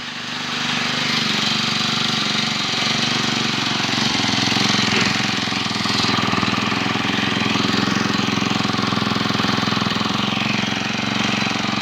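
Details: Four-stroke lawn trimmer, 8 years old, previously wouldn't start; after new carburetor fitted and ignition coil cleaned it holds a steady, even buzzing rattle with no misses or surging; running normally after repair.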